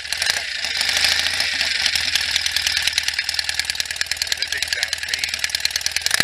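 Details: 1967 BSA A65 Hornet 650 twin after full engine rebuild (new pistons, rings, bores, valves, guides, electronic ignition) following 43 years sitting, first minutes of running, warm day: quick steady exhaust pops about three per second with crisp mechanical chatter, no knocks or misses; normal idle.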